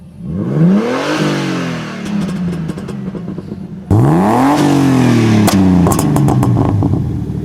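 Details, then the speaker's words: BMW E36, M50 turbo with GT35 turbo, January 5.1 ECU: fuel cut off and ignition retarded to -19°; two free revs, each throttle close followed by quick crackles and popcorn pops, not yet loud enough. "at now we hear some popcorn sounds but we need much louder for this we need more oxygen in our combustion chamber"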